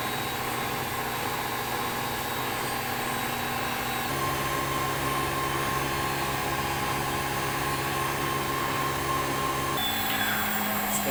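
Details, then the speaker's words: Old heavy Siemens German washing machine with suspended drum and concrete counterweights, high-speed spin: steady high whirring hum with tone shifting as drum settles at top speed, no knocking; machine stable; normal spin. "the drums are also suspended that's why you can see the drum schedule but the machine is stable this is a very very strong washing machine"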